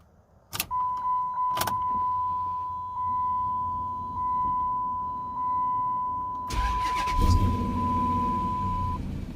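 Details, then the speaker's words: 2005 Dodge Magnum RT 5.7 Hemi after crankshaft position sensor replacement (aftermarket sensor): brief crank, catches at once on the first try and settles into a smooth, even idle with a steady chime; check engine light gone, clean start. "And looky there, first try."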